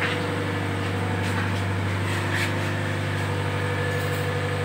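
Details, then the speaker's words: Petrol engine idling smoothly with a steady low hum after a brief belt squeal faded away on its own; squeal was fan belt slip, not serious damage; normal idle. "sudah enggak terdengar lagi ya suara decitan nya ya teman-teman"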